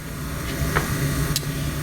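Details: 1954 Mayflower oil-fired forced hot air furnace, last serviced 2012, running with its oil burner motor after repair: steady low hum under an even airy roar, no knocking, rattling or squeal; owner notes the motor may seize eventually and plans a replacement; normal quiet operation.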